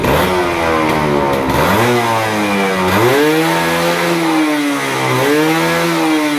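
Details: Stock original F1ZR two-stroke motorcycle after carburetor replaced with new one (old carb worn out, caused bogging at full throttle); crisp buzz climbs and falls cleanly with each throttle blip, no stumble: normal revving.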